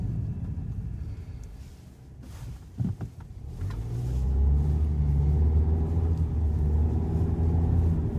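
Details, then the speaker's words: 2020 Volkswagen Jetta SEL driving at around 27 to 30 mph: a steady, low droning hum and groaning rumble from the transmission, also heard under heavy throttle; transmission hum at low speed. "around 27 and 30 miles an hour you get a weird vibration noise from the transmission a humming noise"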